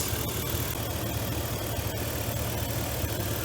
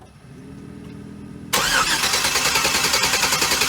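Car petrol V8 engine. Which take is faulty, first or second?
first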